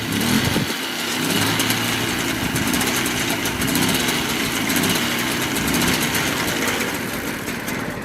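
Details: Reference Mobylette two-stroke moped that runs well, with decompressor. A buzzy idle holds steady without stumbling or dying, showing how the rebuilt one should sound.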